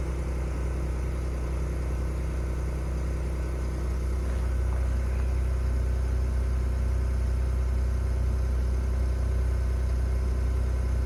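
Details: 2021 Ford F150 PowerBoost remote cold start at about -20 to -23°C: rough cavitating/grinding noise under the cold idle in Park, gone in Reverse or Drive, faintly back in Park.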